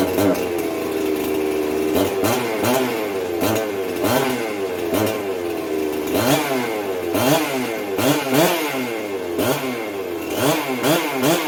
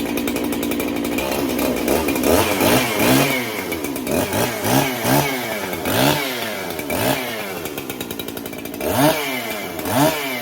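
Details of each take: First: Jonsered 670 chainsaw started right after fitting a new compression release (272 plastic fitted): crisp two-stroke snarl with repeated quick throttle blips rising and falling cleanly; revs out and runs fine. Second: Freshly built 371 chainsaw, cold start on a chilly day during break-in: revs up and sags about once a second, surging and hunting instead of holding a smooth idle; lean on low-speed circuit, cleans up after idling, owner may richen low-speed.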